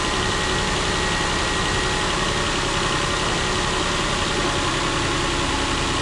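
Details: Nissan Pathfinder VQ40DE V6 after replacing all three timing chains, guides and tensioners, fully reassembled: steady even idle with smooth hum and no rattle or slap; timing chain quiet and healthy.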